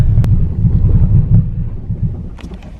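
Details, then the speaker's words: Nissan 350Z with misfire, vacuum leak and running-lean codes, spark plugs replaced: low uneven rumble pulsing irregularly and sagging, nearly stalling; previously needed throttle to stay running; rough idle, cause not confirmed. "so when we got it it didn't even run like you had to floor it as soon as you started it for to keep it alive otherwise it wouldn't stay alive"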